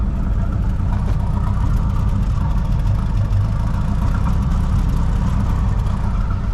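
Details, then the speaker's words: 1983 Mercury Capri RS, first start after sitting since 2013, booster pack attached: an even, steady low drone at about 1800 rpm raised idle, with slight smoke and no knocks, misses or surging. Runs smoothly and healthily. "sounds pretty good sounds pretty healthy so we are idling around 1 800 at the moment which is great"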